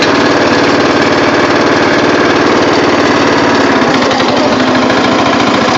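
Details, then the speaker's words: Murray riding mower with a rebuilt engine, started on a cold 50°F day before a test run: a steady, even drone with no skips, knocks or surging, running well; it smokes a little but has plenty of power. "It's upsetting that uh but the engine runs really good after the rebuild and uh she does smoke a little but she's got power for days so that's all I care about"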